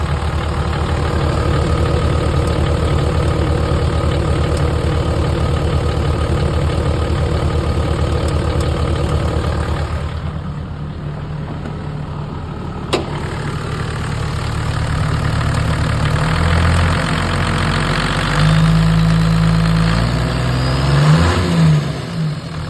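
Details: Toyota Land Cruiser HDJ80 diesel at idle: a steady, regular clicking, about three per second, over the usual diesel clatter.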